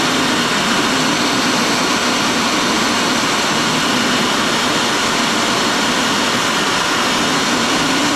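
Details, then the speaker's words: 17T turbo (Vargas Stage 2), wastegate closed via vacuum, spun by Ryobi 18V blower: steady hissing rush, no rising whistle; barely spools, hardly any air from compressor side, sticker barely moves. "so so as you can see there it doesn't really move the sticker there's hardly air coming out of the compressor side"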